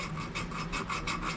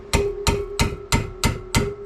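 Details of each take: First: 1968 Fiat 850 Spider cylinder head rebuild to fix head leaking, hand-lapping a valve with compound: rhythmic gritty rasping about three strokes a second, loud and scratchy, seat still rough. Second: 1968 Fiat 850 Spider cylinder head rebuild, valve springs reinstalled after lapping valves: nine crisp taps, about three a second, each with the same clean springy ring, confirming spring and keepers fully seated.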